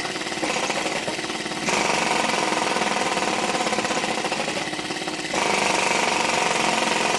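Quick, uneven popping beat around three per second, surging louder and softer in steps; the little engine runs irregularly, cause unclear.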